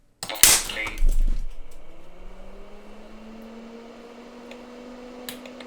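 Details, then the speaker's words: PCs Limited (Dell) 286 IBM AT-compatible, power-on with vocal synthesizer card reinstalled: sharp loud pop then fan spinning up; tantalum capacitor on the card exploded, two on the I/O card found shorted, all to be replaced. "And here's the aftermath and what's left of the two plates in the capacitor. Checking the tantalum caps on the I/O card reveals two of them are indeed shorted, but we'll go ahead and replace all of them."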